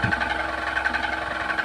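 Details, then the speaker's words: Table fan (old, jamming while running) makes a ghyar-ghyar grinding noise, heard up close: rough gritty growl over motor hum with wavering rasp; worn shaft and dry bushes grinding. "তো বন্ধুরা দেখুন এখানে ফ্যানটি কিন্তু ঘ্যার ঘ্যার ঘ্যার ঘ্যার করে আওয়াজ করছে, একটু কাছ থেকে তোমাদের শোনাচ্ছি।"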